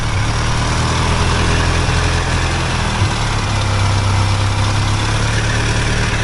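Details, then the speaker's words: 1992 Ford Ranger with Cherry Bomb muffler: loud, deep, uneven idle, raspy exhaust and faint metallic rattle from pipe hung with clothes hanger. "it's loud it's really loud you can hear it you can hear it rattle with the clothes hanger"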